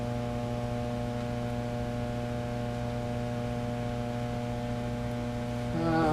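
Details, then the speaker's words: Fender Blues Deluxe tube amp before repair: a constant, unchanging low hum with no music playing. The owner reported a tremolo-like, out-of-tune sound; supply measures 380 V. Typical of weak main filter capacitors. "now a lot of times they'll have a much lower frequency Helm than that but um that's filter cap issue soundwise"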